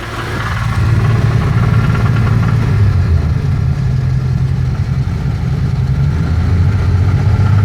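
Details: BMW M30 engine at about 2500 rpm: deep, steady engine drone with an uneven low rattle or knock underneath, origin unknown.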